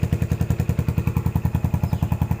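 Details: Yamaha SR400 single, 2014, after cleaning rust flakes from the fuel tank that caused stumbling; even deep thump about ten times a second with no stumble or miss: smooth, steady normal idle after repair.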